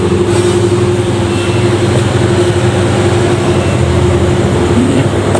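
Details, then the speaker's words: Drinks display showcase refrigerator after repairing nearly broken wires with peeled insulation: steady even low hum, no clicking, rattling or cycling; compressor running normally, cabinet starting to get cold. "Kipasnya sudah putar, artinya semua sambungan sudah bagus, kompresor sudah hidup."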